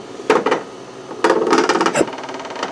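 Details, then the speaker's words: Raise3D Pro2 Plus 3D printer after a bad jam and clog with overflowed filament: bursts of sharp rapid extruder clicks, no steady feed, won't extrude. Bad wire or driver suspected, not confirmed. Extruder clicking, not extruding. "I feel like there's a I can hear it clicking it could be a bad wire I'm not sure"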